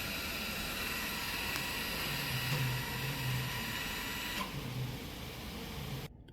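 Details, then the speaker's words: Mitsubishi Outlander electric parking brake (EPB) actuator entering service mode via scan tool brake reset, full release for rear brake pad replacement: thin motor whine holds steady a few seconds then cuts off cleanly as rewind finishes and dash shows finished. "Yeah, once the actual the motor rewind finished, you will see the message on dash on the actual displays finished, and also the noise stopped."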